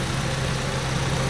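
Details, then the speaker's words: 2006 Ford KA MK1, newly fitted replacement radiator fan assembly after radiator replacement and coolant top-up: the fan comes back on, giving a steady whir over an even, low idle with no rattles or scraping; the fan runs normally. "Right, we just topped up and stopped the engine for a little bit, and then the fan went off. And it's come back on now."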